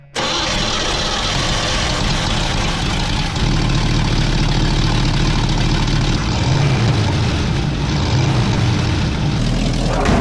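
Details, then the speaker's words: Truck engine restarted after its squealing but tight belts were treated with belt dressing: it catches quickly and settles into a steady, even idle with no chirp or squeal from the belts. "Well, let's take her for a quick spin and see if it still squeals. Sounds good to me."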